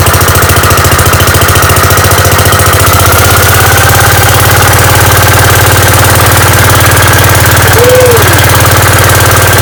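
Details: Gravely 5665 running on newly installed Chinese carburetor, mixture screws at 1.5 turns, air cleaner fitted, unloaded: loud deep even beat holding steady speed, no stumbles or surging; runs smoothly, load test still pending.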